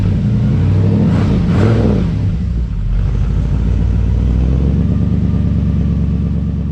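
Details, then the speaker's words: 1963 Impala after a 9,000-mile road trip: engine blips then drops into a lumpy, hunting idle, struggling to stay steady; surge gone this time; owner suspects electric choke needs adjustment, idle previously readjusted for elevation. "Well, I didn't hear that surge this time, but it didn't want to idle, and I've had to adjust that idle a few times on that trip, depending on my elevation."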